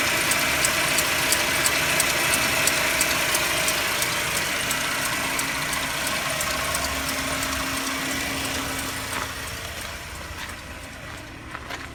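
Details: Mercedes-Benz W204 with M271 engine at cold idle: steady, evenly spaced sharp knocking near three per second, easing slightly as it settles; internal engine knock, cause unclear.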